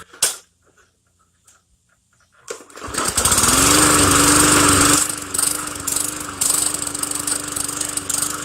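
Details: Hyper Tough 20-inch push mower with Briggs & Stratton engine, previously not starting or stalling, fixed by shortening slack in the control cable linkage with a bolt and washers; one pull, it revs up and settles into a steady, even hum.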